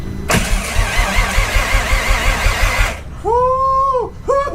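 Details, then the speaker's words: VW Jetta cranked for the first time in years, no fuel or oil pressure yet in the system: starter spins at a steady even rhythm for about 2.5 seconds without firing; normal cranking to build pressure. "so we have to get a pressure built and then once that's done we're going to fire it up so here we go this is the first time it's going to crank"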